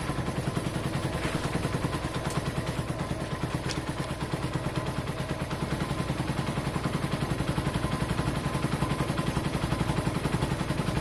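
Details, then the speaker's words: Keeway motorcycle, Chinese bike, idling before letting it settle and changing oil: rapid fairly even light clatter about four ticks a second over low exhaust note; tappets sound loud. "we'll start you watch it sounds pretty loud ah no you won't see when the engine's on we have to let it settle"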